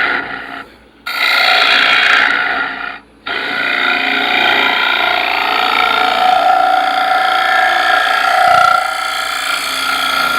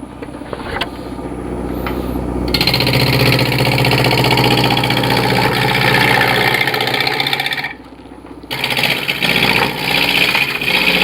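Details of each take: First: Do you hear the little chirping vibration type noise? That tells me there's a crack in here somewhere. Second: Wood lathe turning a cork bark elm sphere: after knocking down a high spot vibration drops, steady whir climbs to a higher even speed with no wobble thump; smooth lathe running at higher speed.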